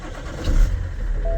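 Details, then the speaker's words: BMW E60 530d diesel with the IBS battery sensor's small cable unplugged as a test: short crank, fires at once and settles to steady low idle with faint chime; starts normally, confirming the IBS sensor is faulty. "Et là, elle démarre directement."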